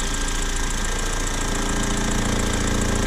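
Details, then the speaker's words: BMW 120 on a lift, handbrake on and in gear so the engine is under load: rough, rapid knocking about three or four per second over the engine; source not yet found; knocking noise under load. "eu deixo ela fez mão puxado e engatado a marcha então alguma entra em carga né Aí tem aparece o barulho"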